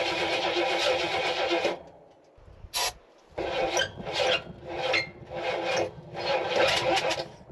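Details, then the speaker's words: Jeep Wagoneer with suspected Quadrajet carburetor and choke removed, loose starter cable: repeated bursts of cranking with a hiccup, never catching; cranks but won't start, cause unconfirmed. "Funny how it does that kind of hiccup. See what it does? That's what it does."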